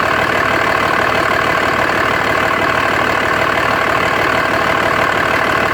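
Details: 2004.5 Dodge Ram 2500 Cummins diesel idling with a loud, uneven, lumpy clatter around three beats a second; owner suspects rough idle and blow-by with excessive vapor from the oil fill cap, cause not confirmed.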